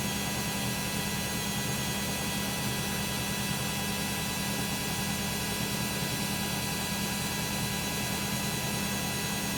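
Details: Beko WM5100W 5kg street-found washing machine, plumbed in, rinse/spin test with rags: a loud steady roar with a constant hum and no change in speed through the spin; noisy spin, cause not pinned down.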